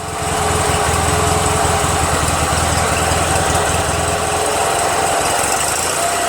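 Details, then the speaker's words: Toro 616Z zero-turn mower twin, hot, which sometimes ran on one cylinder (left suspected dead, maybe a stuck valve loosened): steady, solid beat at fast idle with no dropouts; both cylinders firing, normal running. "Sounds like both cylinders are working. Sounds great. It honestly sounds fantastic."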